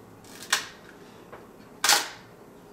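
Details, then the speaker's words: Mamiya M645 1000s film camera bought for parts, shutter tested at 1/60 second: two sharp, crisp mechanical clacks about 1.3 seconds apart. The shutter fires cleanly; normal operation. "that was fast let's try one sixtieth of a second"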